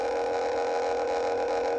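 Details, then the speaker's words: Homemade class-D amplifier (STM32, 200 kHz PWM, LM5109 half-bridge, LC filter, 4-ohm speaker): steady mid-pitched tone, rough and buzzy rather than clean; distorted sine, builder suspects transient spikes seen on oscilloscope cause it. "See these spikes here? I'm worried that's what's That's what's making the speaker sound really, really bad."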